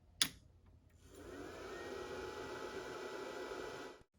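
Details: Cyclades TS2000 terminal server at power-on: a click, then a smooth airy whoosh from the cooling fan that builds over a couple of seconds and holds steady. The fan sounds healthy.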